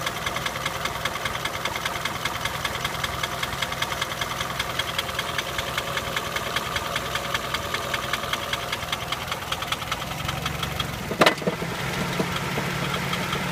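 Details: Nissan Sunny engine at idle: steady idle with a sharp, quick tapping knock at engine speed; cause of the knock not yet identified.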